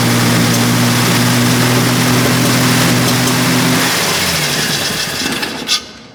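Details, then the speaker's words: Triumph TR6 engine, restored and started after injectors were checked for a good spray: a steady, even note for about four seconds, then it dies away smoothly. It runs with no big-end knock; a timing problem is still suspected. "so there you have it um TR6 engine which has been to Helen Back not quite back from hell but um it has definitely been to Hell and is now alive again"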